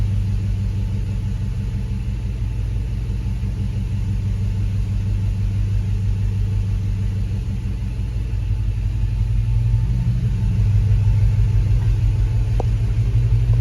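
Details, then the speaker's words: Hemi-swapped Grand Wagoneer warming: steady low V8 idle that sags and lopes slightly but stays running; previously idled down, bogged and died when warm. Cause not pinned down. "It idled down real low and just start bogging and chooching, but I'm scared to say anything."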